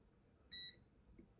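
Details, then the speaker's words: HP laptop with no power, motherboard capacitor removed and tested with meter: one short high steady beep of about a quarter second shows continuity across the cap, so the capacitor is shorted. "Put it back there, and we're gonna just touch it there. Yeah. Boom. So that cap is shorted."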